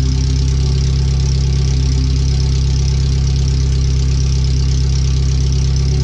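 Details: First startup after replacing header, fuel filter and differential parts, O2 sensors moved: very loud, rapid, steady idle exhaust pulsing with deep booming, running straight out of the open header with no exhaust; computer read 5–7% rich at idle.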